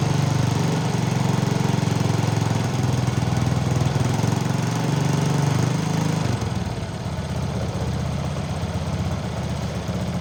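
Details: Motorcycle after a stripped spark plug thread was repaired in the cylinder head without engine removal: fires and settles into a steady, even idle with no misfire; an earlier rattle was traced to a loose exhaust clamp.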